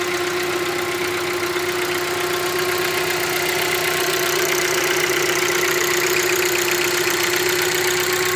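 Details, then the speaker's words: Hyundai Creta 1.6 engine heard in the morning: even, steady idle with constant mid-pitched hum and light valvetrain ticking, no misses or knocks; characteristic sound, not a defect; normal idle. "Barulho normal do motor, tá vendo? Funcionamento normal, galera. Não tem problema, esse barulho dá pela manhã."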